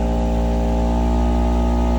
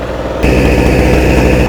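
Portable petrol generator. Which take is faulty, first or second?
second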